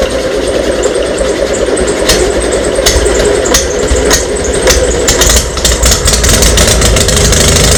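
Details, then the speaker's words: VW Beetle just fitted with dual carburetors, run with the exhaust ports left unplugged: a very loud, raw popping note with sharp cracks over a rough idle, like a Harley. Unmuffled exhaust escaping filled the garage with smoke. "oh my god dude that is so [ __ ] loud sounds like a Harley all right I got to plug those ports that's too funny this place just got full of smoke"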